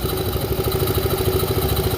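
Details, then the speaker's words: Scooter CVT after replacing pulley washer that previous mechanic installed backwards: smooth, even idle with fast regular pulse, no rattle or scraping from belt drive; noise gone, though bushing play noted afterward. "Sige, start mo. Yan. Okay na. Wala nang ingay."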